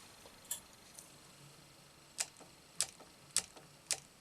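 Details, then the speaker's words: Quadraphonic 8-track player bench-powered at about 12 V with current limit about one amp, program/track change pressed: faint sharp irregular clicks about every half second; solenoid fires but lacks pull because supply hits current limit, later raised to 1.5 A. "Oh, the the uh solenoid is triggering but there's not enough oomph so are we hitting the current limit? Yeah, we're still hitting the current limit so let's up that to about two and a half amps."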